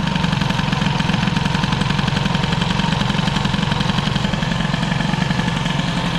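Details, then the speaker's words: Peugeot 103 moped with hybrid air-cooled Airsal 65 kit, carburettor jetting unknown: rapid, burbling two-stroke idle with loose uneven beat, still running very rich even with mixture screw closed. "même si là on peut laisser la richesse fermée si c'est mieux fermé c'est encore gras à mort tout ça"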